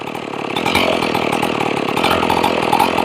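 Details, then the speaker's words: Ported Stihl 461 chainsaw, warm, idle being raised by turning the low-speed carburetor screw from about 1.25 turns out: buzzy two-stroke settles into steadier, quicker run as revs climb; four-stroking well on the high side. Idle speed rising during adjustment. "Got the engine coming up. Now the steam starting I like what I'm hearing."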